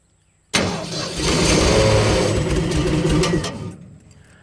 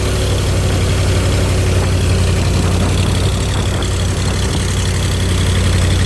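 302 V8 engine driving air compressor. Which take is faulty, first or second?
first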